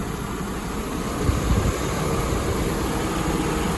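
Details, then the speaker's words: 1993 Mercedes-Benz 300E 2.8 at warm idle with A/C and auxiliary fans running, after new ignition coils, spark plug wiring, a used 2010 wiring harness and a new water pump: smooth, steady low hum with no knocks or misses. "here's with the engine running auxiliary fans running because the ac is on and uh i'm idling nice and smooth"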